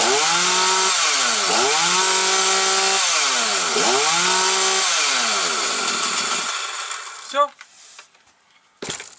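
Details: Husqvarna 240 chainsaw, rebuilt and carburettor adjusted, running after tuning: strong steady high two-stroke roar, smooth rev swells rising and falling, then quiet idle; idle may be raised slightly if needed. Normal running.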